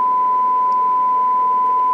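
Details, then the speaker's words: Restored Dynaco Mark III tube amp, warmed up, test tone input: pure steady tone near 1 kHz with no hum or buzz underneath; clean signal output. "okay you see nice clean audio right there"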